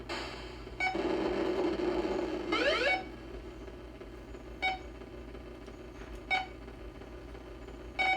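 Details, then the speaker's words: 1980 Atari Battlezone arcade PCB on the bench, sound test through a temporary hookup: long buzzy tone, rising sweep, then chirps about every two seconds; sound is flaky, blamed on old Atari IC sockets that will be replaced. "yeah it just gets kind of flaky because of the sockets this will be a solid board once I get these"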